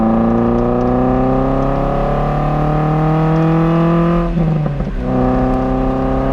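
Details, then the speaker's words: MR2 Spyder (engine-swapped) driving at highway speed, top down, after replacing a muffler with a broken baffle by a Top Speed resonator: clean note climbing through revs, one shift, little drone, no rattle; normal exhaust. "nice I like it it's actually not too much Drone either yeah the highway speeds I really do think this is quite lighter than the old one"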